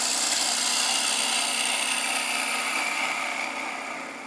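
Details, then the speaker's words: Wood lathe, parting tool driven straight into end grain about 3/8 inch with a rapid cut, no slicing action: harsh, raspy scraping fading as the tool goes in, leaving torn grain possibly 1/16 inch deep; parting tool tearing end grain. "well let's stop and see what the end result is so parting in there We've Ended up with seriously torn grein and that torn grain is very deep possibly up to a 16th"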